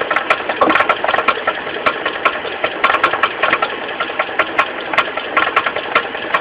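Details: Mitsubishi 4G15 carburetor engine at steady idle with a sharp ticking knock, two to three a second, low at the front from the loose crankshaft pulley. The pulley was not replaced; the knock was fixed by tightening it.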